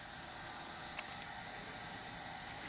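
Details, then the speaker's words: Used VW TDI PD engine with a broken timing belt, leak-down test on cylinder 4 with valves closed: loud steady hiss of escaping air, high cylinder leakage, piston not even pushed; cause suspected, not confirmed. "And I'll apply air pressure to our leak down gauge. And once again, it shows high cylinder leakage."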